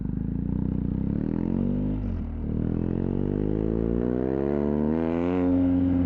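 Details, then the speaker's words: BMW R1250R with SP Engineering silencer and modified dB killer combination fitted, throttle blips: deep firing pulse rising and falling cleanly, no rattles or popping; sounds good and thought to perform about as well as OEM. "i've ridden the bike a couple of times now with this uh kind of combination in the back of the exhaust and a it sounds good enough to live with and b i think the bike actually performs pretty much as good as oem with this setup"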